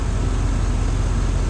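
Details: Pickup truck bought on Facebook Marketplace for under $2,000, running after air filter fitted: deep, steady low rumble with even beat, no knocks, ticks or misses; engine idles smooth and healthy.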